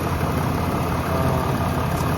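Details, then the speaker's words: Ram 5th-gen Cummins diesel just after a Banks Monster Ram install, warming up: steady even clatter at idle, no ticks, knocks, exhaust leaks or fuel smell; quiet, normal idle. "she sounds good. I'm let her warm up. It's nice and quiet. I don't hear anything that doesn't sound out of the the norm or anything like that."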